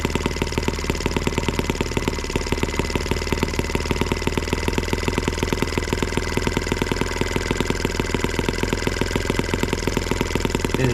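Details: Small M12B model engine on white gas, warm, needle leaned an eighth of a turn: holds a fast, even buzz with no sag or stumble; running steadily.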